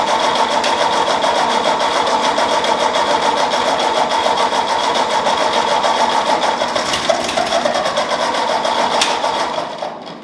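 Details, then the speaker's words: Ford 2N tractor converted to 12 volt, new coil, partly rebuilt carburetor: busy running about three beats a second with no settled idle. The carburetor jet is chewed up and stuck; a new aftermarket carburetor was later fitted. "so now we just need to figure out maybe it's a adjustment on the carburetor or there might just be some stuff gummed up in there"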